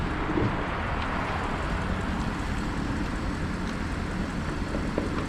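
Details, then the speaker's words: 2013 Audi A8L air suspension being lowered after an internal leak from a recirc valve that popped out in the pump: steady airy hiss over a low rumble as the front settles evenly; normal lowering. "you can hear it doing what it's supposed to do the front came down i thought it was front rear front rear"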